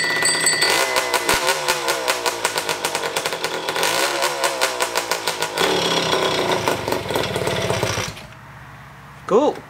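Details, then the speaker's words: Rebuilt scooter two-stroke engine at first start, using reused parts only: a crisp rasp revving freely with no knock, then shutting off; it runs healthy, though fuel leaks, apparently from a nut at the carburetor bottom. "Well, it's leaking fuel again, so that's good. But other than that, sounds good."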